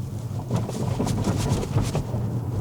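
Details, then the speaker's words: 2017 Tesla Model S on a test drive over railway tracks after its charger repair, used to check the suspension; low road rumble with soft thumps and no rattles or clunks, so the suspension is quiet and fine. "Вообще тихо. Вообще ничего не гремит. Отлично."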